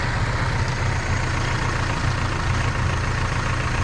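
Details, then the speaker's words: 1931 Ford Model A after a first-time engine swap, with the fuel pump fitted and the carburetor adjusted. Low, steady idle with a soft even beat and light ticking from the fuel pump; runs smoothly, normal idle. "Joshy adjusted the carburetor. Let's suspend any music and just listen to that purring engine."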